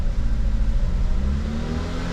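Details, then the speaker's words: 2009 Ford Fusion 2.3L, after fixing cam sensor and head temp sensor, held at raised revs: steady, slightly climbing drone; won't idle, later traced to a vacuum leak from a faulty intake manifold. "or come out of it at higher RPM that it don't idle"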